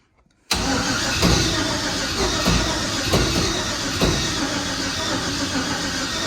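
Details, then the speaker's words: Junkyard L33 LS with 799 heads, Bosch 210 injectors and big 107mm turbo, on five-month-old methanol, first fire: starter cranks evenly about six seconds without catching; fuel pressure only 2 psi, usually fires near 4 psi. "I'm trying to pad everything off, but we're up to 2 psi. Kind of surprised it didn't go on the first hit, but usually like 4 pounds. 4 pounds she'll pop."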